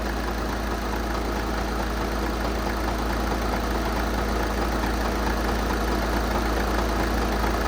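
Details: 2014 VW Jetta SportWagen TDI, 2.0 L CJAA diesel, 115,000 miles, Copart salvage listed as non-starting, warming up at idle with the alternator checked good: smooth, even diesel idle with no knocks or misses; healthy.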